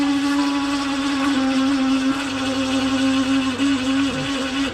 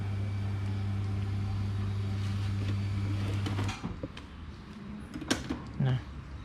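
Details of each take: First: Hatari electric fan, loud and spinning weakly especially on low speed: loud steady hum with rough edge, pitch sagging as it slows; worn fan motor bushings suspected. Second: Hatari 16–18 inch electric fan after new front and rear bushings and oiling, fixing slow spin and noise: smooth steady motor hum with no rattle or scraping on speeds 1 and 2; runs quietly and strongly.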